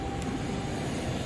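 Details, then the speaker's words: Supermarket Killion self-contained refrigeration case after compressor replacement, evacuation and recharge: steady, even hum with faint constant tone, no knocking or rattling; compressor running normally. "So you hear that? The compressor's running."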